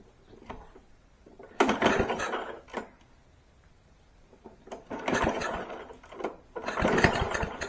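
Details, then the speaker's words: Free push mower on starter fluid with the air filter off: three short, ragged, loud bursts of uneven firing that die each time, showing the engine has spark. "ah yes that thing sounds awesome all right it that was great that thing is loud"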